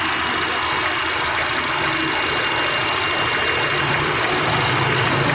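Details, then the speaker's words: 2006 Honda Jazz with CVT automatic, during idle adjustment: idle at about 900 rpm without AC, steady with an even hiss and no hunting or dips; normal idle. "Oke ini RPM sekitar 900 ya 900 tanpa AC"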